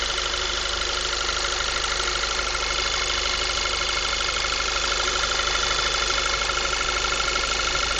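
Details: 2010 VW MKV 2.0 TSI, about 1000 miles, APR stage I and Neuspeed intake, warm after driving: thin steady whine over idle; owner suspects failing water pump, not confirmed.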